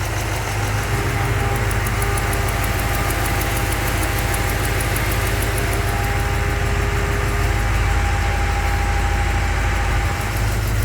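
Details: 383 stroker V8 in a truck, just after engine repair, idling outside during warm-up with an even deep rumble and no knocks or misses; a couple of small exhaust leaks remain and fuel pressure may need raising.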